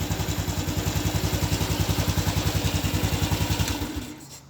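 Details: Even, steady thump at about 214 beats a minute that settles and fades at shutdown; healthy idle after the failed fuel pump was restarted by tapping the pump body three or four times.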